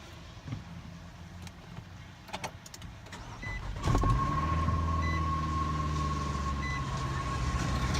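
The engine cranks, catches and settles into a slightly uneven idle with a thin whine on top; rough cold idle, cause unknown.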